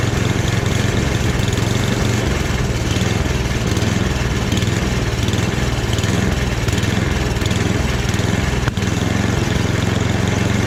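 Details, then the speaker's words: Free snowblower after a full rebuild, single-cylinder engine at medium throttle with a steady, even putter and no misses, surging or knocks. Transmission works; the rebuild is judged a success. "Yeah, I'm gonna call that a success, you guys."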